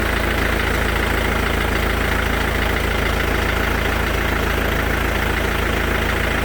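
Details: Mercedes S212 220 CDI diesel at idle: a dense, even clatter with a quick, regular clack running through it, about three per second. The engine is clacking at idle; the cause is not identified.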